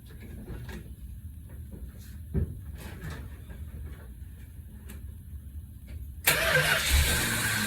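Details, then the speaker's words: 1964 Chrysler after an Edelbrock carb rebuild, cold at about 40s°F with the carb bowls empty. Repeated short cranking bursts with pauses, then it catches and settles into a steady idle once the bowls fill. "There's no fuel in the carburetor, so you'll have to crank a few times to get the bowls filled up."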